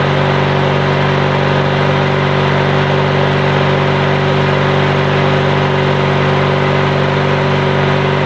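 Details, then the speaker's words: Yard Machines/MTD lawn tractor, 20.5HP Briggs & Stratton twin, after new starter, solenoid and battery: steady, even beat at fast idle with no misses, knocks or rattles; runs healthy, no-start fixed. "should we put the new starter on new battery and problem solved it starts up that engine sounds really good"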